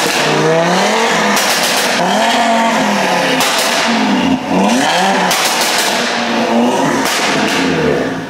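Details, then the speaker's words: Audi RS3 first start after fully forged engine rebuild, to be tuned to 850 bhp, previously hybrid turbo with a tune: sharp rev blips rising and falling cleanly with overrun crackles, no knocks; healthy engine revving strongly. "that is too much the r three is alive can't believe it man"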